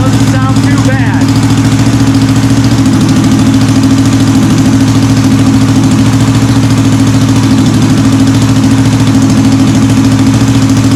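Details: Honda CB450 Black Bomber twin, restarted during restoration: loud but steady, even firing with no rattle or knock, the rattle heard earlier now gone; oil supply to the top end still unchecked.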